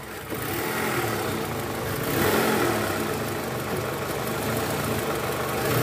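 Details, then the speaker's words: 2004 Toyota Camry, 2AZ-FE 2.4 L, 98,000 km, which had a cold-start "krrk" noise: after replacing the loose, worn balancer shaft and refilling coolant, a smooth, even idle with no rattle or knock. Normal idle. "berisik itu sudah hilang. Oke, sempurna. Jadi penyebabnya memang karena balancer yang longgar, teman-teman."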